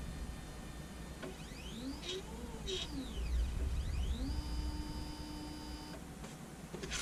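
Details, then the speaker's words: Anycubic Photon Zero resin printer after the fix, leadscrew nut flipped to stop a Z-axis squeal: stepper tone sweeps up, holds, sweeps down as the carriage travels, no squeak or scraping; normal Z-axis travel. "Even pushing on it, it doesn't squeal anymore."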